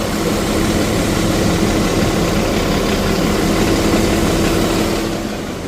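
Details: 2026 Ram Cummins diesel on 10W-30 oil, just started after fuel filter service: steady even diesel clatter at idle, no lifter tick standing out over the low rumble; healthy.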